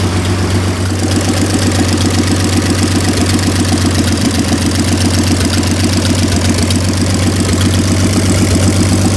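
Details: 1926 Oakland antique car revived after 75 years, running with its rebuilt generator hooked up. Slow, steady idle with even low thumps about four a second, no knocking or missing. Normal idle.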